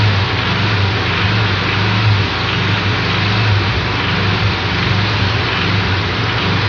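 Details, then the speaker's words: Air-cooled Volkswagen flat-four running steadily with a dull, regular low knock under the engine note from a loose connecting rod. "A similar noise is made by a loose flywheel. The dirt dirt of a loose connecting rod."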